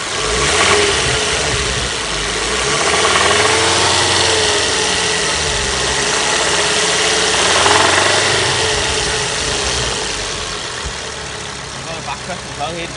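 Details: Ford Focus ST225 petrol engine, full service history, oil present: metallic chain-type rattle on cold start that fades once revs settle, returns when revved; owner has heard it may be oil starvation, cause unconfirmed.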